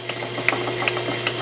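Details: Lathe flat drive belt with its splice covered in heat shrink tubing to quiet it. The belt runs with a steady light whir and only faint soft ticks; the splice no longer clicks loudly on the pulley.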